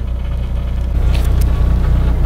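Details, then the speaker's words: 1984 VW bus/van after 70 mph drive, temperature at 180: deep throbbing drone, heavy shake through the body rather than a knock; engine mounts suspected, engine sits upright instead of horizontal mount. "it definitely needs some new mounts on the engine it vibrates like crazy I don't know if you guys can hear that you hear that yeah it vibrates a little bit"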